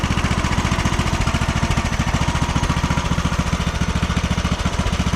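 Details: 2009 Craftsman YTS 3000 with 21hp Briggs & Stratton engine, carb cleaned again and idle adjusted, before new rings fitted; even, steady low putter about three and a half beats a second with no stumbles; normal idle.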